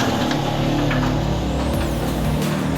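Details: Vespa LX 150 scooter after a CVT service with the cover refitted: a steady drone with a slight rough edge, the belt drive running evenly with nothing new rattling; some roughness remains from the worn roller housing, original and never replaced in over ten years.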